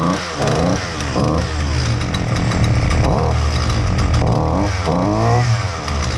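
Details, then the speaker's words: Husqvarna 128L two-stroke string trimmer, customer complaint won't start, not curable by carburetor adjustment: runs rough and blubbery with uneven surging revs, dumping fuel, keeps flooding; carburetor replaced. "I actually dried everything uh trying to get the the fuel out and it just keeps flooding"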